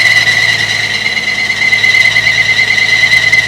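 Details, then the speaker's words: 1950 Chevy truck after fuel system replacement and carburetor cleaning, first start: loud steady high-pitched squeal over the running engine; alternator belt squeal, otherwise running great with no fuel leaks. "It's running great, other than the alternator squeal. Got no fuel leaks anywhere."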